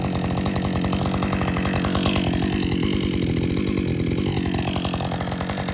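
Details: Husqvarna 562XP chainsaw, after the shop reflashed its software for dying when hot and stumbling, warm after a lunch break and refuel: quick, even popping idle holding steady without surging or dying; normal idle, better than it has run in a long time.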